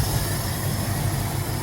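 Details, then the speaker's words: 1970 Ford Country Squire with a 390 (6.4L) V8, parked for 14 years, after fuel line and hose work. It idles with a steady low rumble and a faint hiss over the top. The owner reports no fuel leaks but a big vacuum leak. "We have no leaks. A hell of a vacuum leak,"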